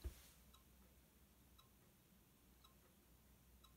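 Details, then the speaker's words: iMac G3 booted with its original hard drive after upgrading, before OS installation: faint, sharp, even tick about once a second. The drive had been clicking and causing random shutdowns and a blinking folder icon, and is suspected dead. "what what is this making four noises oh"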